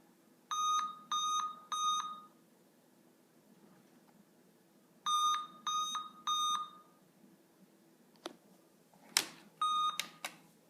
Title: Help!!! My computer won't start and it makes beeping noises